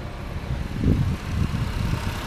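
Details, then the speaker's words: 2013 Opel Astra J 1.4 Turbo 120 hp, key start with the clutch pressed: the engine catches easily with a brief swell, then a low, steady, even idle with no knocks or misses. Healthy. "pour la mise en route avec une clé traditionnelle toujours le pied sur l'embrayage et on met en route la voiture très facilement"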